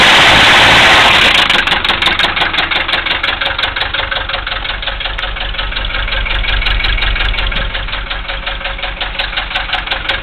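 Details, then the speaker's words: 1974 Mercedes diesel, glow plugs not working, cold idle after starting: steady heavy knock about three times a second over the diesel clatter, suspected rod knock, not confirmed. "started with no G plugs it's pretty amazing oh this Smo there you have it 1974 Mercedes with a rod knock still running"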